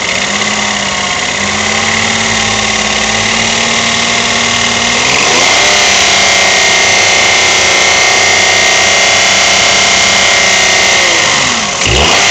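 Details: Toyota 1KR-FE engine revving up and down with a fast, light tapping knock over the run; timing chain, tensioner and guide already new, cause still unknown.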